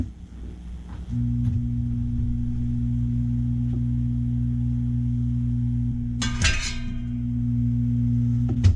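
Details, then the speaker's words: Attic fan motor removed from service after failure, bench-powered: it draws power but won't start, giving a steady low electrical hum with no spin-up because the bearing is seized. "Now it's definitely drawing power, but it's not starting due to the bearing."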